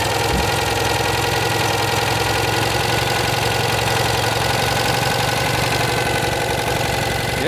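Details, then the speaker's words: Citroën 2CV flat twin with newly fitted engine, on the driveway without bodywork, steady even two-cylinder idle with no knocks or misses; carburettor jetting thought entirely wrong, still on old jets. Normal idle. "Wow yeah pleased with that very pleased I see what she sounds like now beautiful take for joy"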